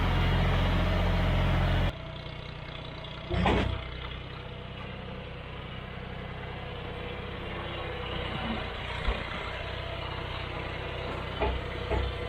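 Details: Tractor after tune-up with new oil and filter, hydraulic fluid and filter, spark plugs, O-ring and air filters: steady low engine thrum with an even beat, no knocks or rattles, running smooth and healthy.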